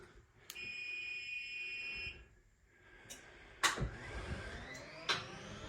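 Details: Acorn 130 straight stairlift, direction button pushed and held to travel downstairs: steady high electronic beep for about a second and a half, then clicks and a clunk as the lift moves off; normal warning beep.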